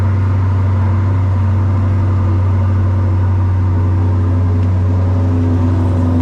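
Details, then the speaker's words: Deep, steady V8 idle with an even beat and no misses, knocks or ticks from a rebuilt 2020 Corvette C8 Z51 after a year apart; after refilling coolant, fixing a disconnected ground and fitting a new battery it runs healthy. "So I ended up having a ground that wasn't connected, but after I fixed that, I got it to fire it up once I put a new battery in it, and ran pretty good."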